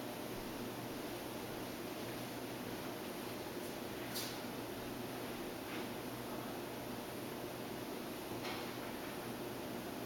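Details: SubZero 736TC freezer drawers: steady quiet hiss broken by a faint tick and one sharp isolated click, repeating in a roughly 2.5-minute cycle since a repair visit; freezer reads 35-46 degrees.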